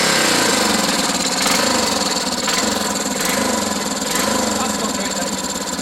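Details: Hard-starting Bigbear quad running rough with a loud, uneven metallic tock repeating about three times a second, like an internal rattle; cause not confirmed.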